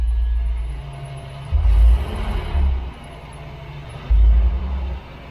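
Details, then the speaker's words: Freshly rebuilt 454 Big Block Vortec Chevrolet in pizza truck, first start, idle around 1000 rpm with throttle blips, oil pressure steady at 50 psi; deep steady smooth idle, normal. "everything is uh looking good in here we are right at 50 psi"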